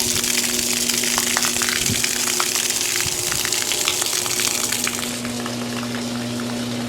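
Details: Discarded, non-functional GE washer with a mechanical timer, tested during a drain: a steady pump hum with a constant low tone under gushing, splashing water, showing normal drain pump operation.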